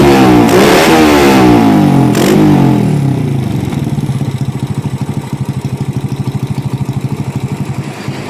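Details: Honda Supra Fit (C70 body) with PE 24 carburettor replacing a 28, being set on air and idle screws, pilot jet possibly too small: throttle blips rough and stuttery, settling to lumpy pulsing idle; too rich, spark plug black, misfiring, needs re-jetting.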